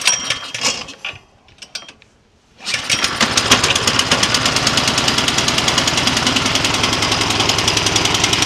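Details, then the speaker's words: Troy-Bilt snowblower with Tecumseh OHV engine, choke open, on high, after freeing a stuck-open exhaust valve that caused backfiring and no-start: starts on second easy pull, fast even single-cylinder patter, no backfire; runs normally. "well there you have it no backfire started up on a slight second easy pull so clearly the problem was that Valve sticking in the overhead valve"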